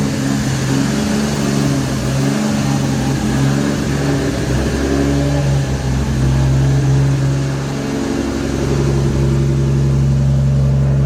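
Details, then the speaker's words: Nissan R33 GTR S1 with a NISMO ported head (bigger valves, copper beryllium seats) and quiet HKS titanium exhaust, light revs: a smooth, even note swelling and settling, soft muted exhaust, no knocks or rattles. It sounds healthy. "And this car, the HKS titanium setup, it's just really quiet. It makes the power, and I like how it sounds."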